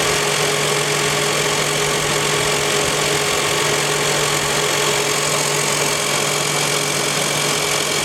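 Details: 2001 Toyota Highlander, all four wheel bearings already replaced: steady whine with a low hum, heard at the differential, which has been leaking and may be low. Tires were out of round from lack of rotation and turned out to be the real cause.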